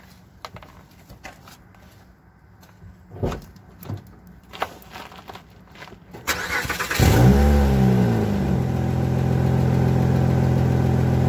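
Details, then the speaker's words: Engine starts and settles to a steady idle with a faint rustly puffing from a small exhaust leak in a poor-quality pipe after a resonator delete, before a JB Weld repair attempt. "as you can hear it has that little rustly sound like their classic exhaust leak"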